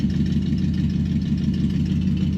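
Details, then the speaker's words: 1968 Dodge Dart V8, cold start with choke applied, idling around 700–750 rpm: steady, even low rumble with no knocks or misses; normal cold idle. "And the choke is applied. Let it warm up a little. Sounds pretty good, huh?"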